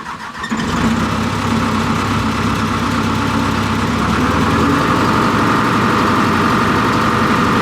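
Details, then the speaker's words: 245G excavator diesel, cold, after replacing suspect number 3 injector for black smoke under load; long cranking to build rail pressure, then catches and settles to steady even idle, no misfire or knock. "All right, so it's going to take quite a bit of cranking to build rail pressure before it fires."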